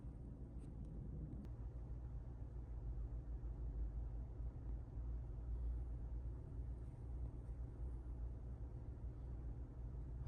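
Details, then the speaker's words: Chevrolet Trax Crossover after warranty replacement of the driver-side transmission mount; very quiet steady low idle hum with no knocks or shakes, cabin noise about 34.5-35 dB in both N and D, down from 37-38 dB before. "34.5에서 35 정도 비행기 지나가니까 이제 어 하고 엔단이나 뒤단이나 소음은 동일하다."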